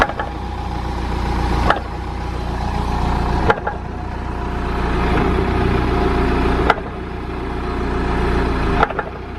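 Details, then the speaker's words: BMW E65 7 Series, car up in the air with engine running: sharp metal-on-metal clunks from the rear end as drive is taken up, exaggerated recreation of a single clunk felt on stepping on and off the accelerator. "you would hear this clunk it'd sort of be like i guess it would kind of sound like metal on metal contact from the rear end"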